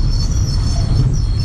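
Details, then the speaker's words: Chevrolet Lacetti automatic, driving slowly after releasing the brake: thin high squeal over road rumble that changes with speed, sometimes with light braking; brakes recently serviced. "вот щас придавливаю немного на тормоз звук то меняется то не меняется все зависит от скорости движения ну по большому счёту час педаль тормоза не нажата но звук очень мерзкий"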